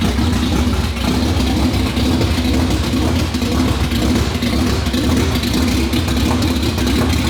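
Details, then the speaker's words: 2019 Roush Stage 3 Mustang, first start after engine failure: runs loud and uneven only on held throttle, won't idle alone; camshaft position sensor circuit codes stored, suspected sensor/circuit fault. "i was having to give it a little bit of throttle to keep it running we have a couple of codes for cam shaft position sensors etc uh it seems to be a circuit code"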